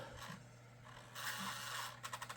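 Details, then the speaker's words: Failing CD-ROM drive in a laptop with a proprietary drive, worse than at its last use: dry scraping sweeps over a faint hum, then a quick run of rattling ticks as the disc spins. "it seems like since the last time I've used it it's gotten even worse now it's easy to uh If This Were a desktop that's the sound of a computer dying"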